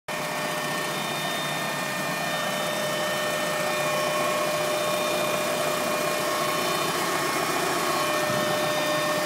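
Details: Mk1 Golf Cabriolet Clipper at idle, steady high whistling tones over an even idle, not pulsing with the engine, seeming to come from rear of engine bay; unidentified whine, cause unknown.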